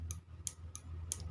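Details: Motorcycle turn-signal flasher relay opened, worn contact held closed: crisp clicks about three per second, confirming the worn contact caused the no-blink fault.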